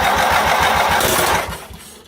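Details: Baby Doe John Deere tractor with the fuel pump set to run constantly and fuel confirmed at the carburetor: starter gives a quick steady chug on the small engine, which never catches and fades out; no start during fuel system troubleshooting.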